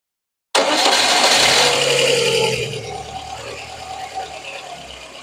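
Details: Lada Kalina 8-valve engine starting and idling: catches then stumbles into an uneven, lopsided idle, vacuum gauge needle jumping; head gasket leaking between cylinders lets gases back into intake, disturbing idle.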